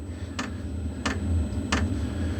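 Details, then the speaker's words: Wippro 8 kW diesel heater in a shop bus, startup as the glow plug heats and the fuel pump just kicks in: sharp, even ticks about every two-thirds of a second over a low fan hum, ramping up; normal fuel pump ticking, no exhaust smoke. "you can kind of hear it starting to ramp up it is pushing some air out"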